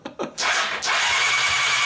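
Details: Honda CBR600 engine out of frame, starter wires shorted to crank: quick high whirring spin turning the engine over steadily with no firing; weak spark present; starter works, no start.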